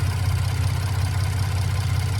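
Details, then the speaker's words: Ford Transit with newly rebuilt Jasper engine and shop exhaust work, cold start idle: fast even buzzing rattle over low idle; owner suspects exhaust pipes lacking clearance and shaking. Rattle at idle, unconfirmed. "I get a rattle on startup, so if I let this thing fully cool down and start it up, it'll rattle. That should not happen on a brand new engine."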